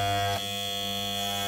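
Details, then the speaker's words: Wahl clippers after blade alignment give a steady high-pitched buzz with a slight dip. The power screw is set too low, so the blades stall when pinched. Fix: turn clockwise until loud, then back a quarter turn until quiet. "this means it's not powered up. So to do this, get the screw and turn it clockwise until you can hear a really loud sound."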